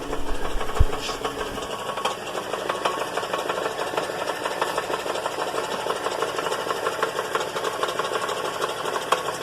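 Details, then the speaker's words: GMC Acadia/Buick Enclave/Chevy Traverse at idle, heard from underneath: uneven metallic rattle about three taps a second at the bell housing from loose flex plate to torque converter bolts, left without thread locker after previous transmission replacement. "by now i imagine it has become apparent to you that you realize the torque converter bolts were loose someone previously put a transmission in this vehicle"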